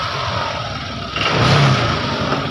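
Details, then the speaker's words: Honda Vario 125 FI scooter (2020–2022) with sudden stalling and MIL and radiator temperature lights staying on, starter test: catches straight away, short smooth rev, settles into even idle; starts normally though MIL still lit. "Oke, kita tes starter langsung. Oke, motornya langsung hidup ya."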